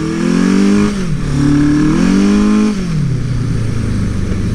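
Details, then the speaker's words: 1981 Suzuki GS850 scrambler ridden in snow after sitting outside for weeks; engine pitch flares up and drops twice, revs climbing faster than the bike pulls, clutch slippage. Owner plans new clutch plates and an engine rebuild for an oil leak. "do have a little clutch slippage, as you can hear."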